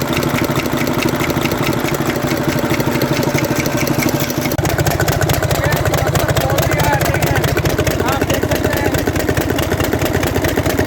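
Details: 2009 Mercedes Actros six-cylinder diesel at idle: sharp regular crack about every second and a half from a seized rocker roller on cylinder three; noise stops when that rocker is removed.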